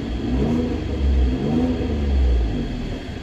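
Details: Citroen C1 three-cylinder budget track car started and revved after the earths were checked, to see whether it still stutters. Low burble swells smoothly with each throttle blip and settles back without misses; it runs healthy.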